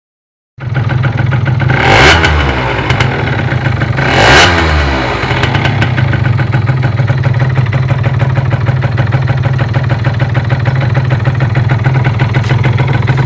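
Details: Derbi Euro 3 engine: two throttle blips then a settled idle with a loose metallic clatter throughout; owner suspects a bearing, unconfirmed.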